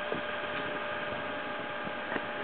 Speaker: Okay, so stock standard at about 8 volts. It starts running at 0.7 [Applause] um amps. So about 700 milliamps. That's pretty good.